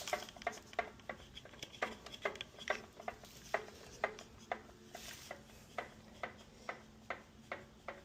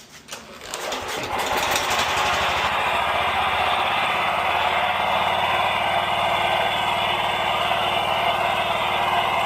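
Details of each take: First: This one had a knock noise, it ended up coming from the lifters. I did oil change and general maintenance and the noise went away. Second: Scag 36-inch commercial walk-behind mower, four-stroke gas engine (low 60–70 psi compression), after oil change and maintenance: it starts and settles to an even drone with no ticking or knocking; the earlier lifter knock is gone.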